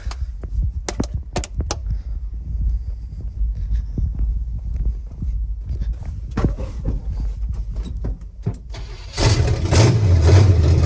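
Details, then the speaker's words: 1976 GMC Sierra 2500 4WD with a small-block 350, new headers, distributor coil, wires and plugs, fuel poured into the carburetor bowls: clicks, then the engine catches fast and settles into a steady low rumble. Normal start and idle, oil pressure up. "Thing fired up so fast. Started better than pretty much everything I own, honestly."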